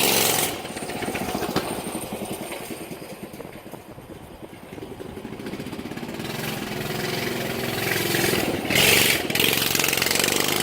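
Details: Pocket bike after swap to 6.5hp single-cylinder motor, test run: crisp quick bark climbing and settling cleanly with throttle, no misses or knocks; pulls wheelies, normal running.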